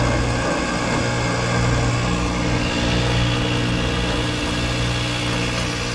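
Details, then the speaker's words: Carrier mini split compressor running with internals blown, high and suction sides barely changing; harsh churning grind like a garbage disposal over a steady hum, scroll heard spinning; compressor is shot, to be replaced. "sounds like garbage more like a garbage disposal i would say this compressor is shot not doing the damn thing i heard some spinning scroll spinning in there"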